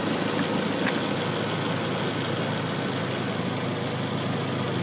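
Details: B6 with a rough idle under diagnosis for a week: an uneven, lumpy, irregular idle with no steady rhythm, which smooths out after the SAI (secondary air injection) tube is unhooked; the cause is suspected, not confirmed.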